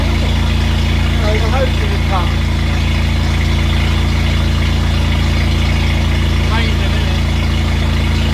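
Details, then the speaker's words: 1968 Bedford CA Smiths ice cream van, first start after sitting, on choke, run only briefly with no coolant in it: a steady, low, even idle with no knocks or misses; normal idle. "well that's uh certainly answered the question does it run well yes it does"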